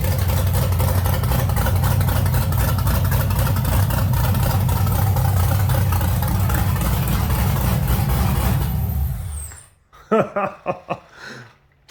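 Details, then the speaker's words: 1989 Chevy S10 Blazer with LS swap, first start after an aftermarket choppy cam was installed, not yet tuned: deep V8 idle with an uneven, loping chop, the wanted lumpy cam idle. "that's what I want my cam to sound like good choppy idle"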